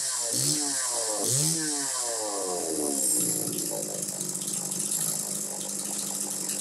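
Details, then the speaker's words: Very clean Homelite Super 2 chainsaw, possibly around 1990; two sharp rev blips, then it settles into a steady, even high-pitched buzz, running cleanly and responding well. "so anyway you hear it it's running good"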